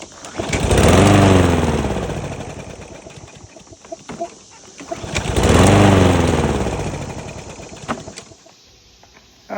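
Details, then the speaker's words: Briggs & Stratton EX 675 engine on a Yard Force mower: twice catches, swells a second and sags to nothing, starting then immediately shutting off; dirty carburetor suspected. "it'll start and then it will immediately shut off."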